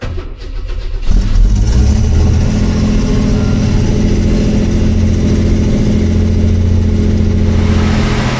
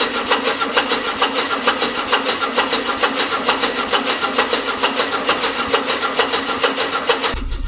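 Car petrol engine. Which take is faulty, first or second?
second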